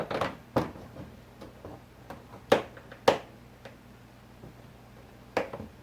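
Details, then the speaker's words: 2001 Chevy Silverado driver's door after new door check installed: soft thunks and light taps as the door swings and latches, no more clanking; door check working normally. "No longer do we have the clank clank. It's much quieter, so it's good."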